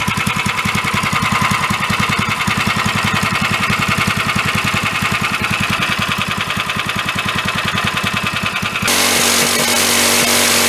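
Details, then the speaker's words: Free 13 hp Honda-clone single-cylinder engine on a go-kart build runs with rapid hard knocking, then is revved up and down after a valve adjustment; the knock grew louder the more it ran, and the engine is believed to be failing. "as it was running the more it ran the more started knocking so the engine is I do believe going kaput"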